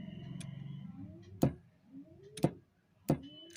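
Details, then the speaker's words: Old RO (water purifier) solenoid valve switched on; three soft, uneven, irregular clicks lacking a firm snap; the sound is weak and not smooth, indicating a faulty valve, with the cause to be found by opening it. "मतलब इसकी आवाज़ जो है वो smooth नहीं है। तो इसको खोल कर देखेंगे बाद में कि क्या दिक्कत है।"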